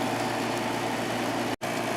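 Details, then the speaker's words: 10,000 BTU window air conditioner running: even fan rush and low steady compressor hum, no rattles or squeals; works great, blowing nice cold air, normal operation. "This 10,000 BTU works great. Blowing nice cold air"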